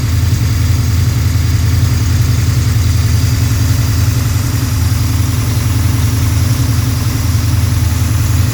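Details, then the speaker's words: Freshly built Pontiac 428 V8, probably a 1969, for a 1966 GTO, tri-power carbs, D-port heads, 9.5:1 forged dish pistons, hydraulic roller lifters: smooth even rumble on high idle around 1500-1800 rpm while warming up, no knocks; normal fast idle. "Let it get a little bit of engine temp in here before we kick it off the high idle here."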